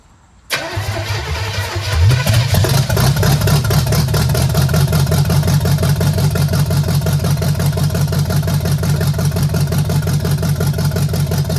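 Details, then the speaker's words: First start of a free small-block Chevy V8 swapped into a 1968 Chevelle (replacing the straight six), cheap headers, no throttle cable yet. Rough idle with a rhythmic pop about three per second: one cylinder's exhaust valve not sealing. Huge gas leak also present. "It's a very rhythmic pump. Almost like there's one cylinder and it's not ceiling very well."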